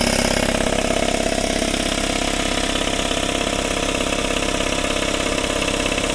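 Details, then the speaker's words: 1997 Craftsman 5 hp 20-gallon air compressor, 26 years old, after oil change, about 50°F outside: fast regular pumping near 200 strokes a minute, smooth, no knock or rattle; quieter and sounds far better than before. "all right we're going to fire her back up here we go oh yeah that thing sounds a 100 times better"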